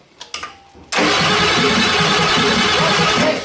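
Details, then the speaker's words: 1989 Ford 7.3 IDI non-turbo diesel after fitting new batteries: a couple of clicks, then strong, fast, even cranking that settles into running; normal cranking speed. "oh my god what it different oh yeah batteries will make the difference"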